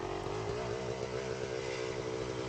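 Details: Pit360 two-stroke bike with Lectron carb lugging at low revs: hollow rattling knock on each firing pulse; severe piston slap from worn piston, leans out when warm; owner plans new piston and Nikasil-replated cylinder.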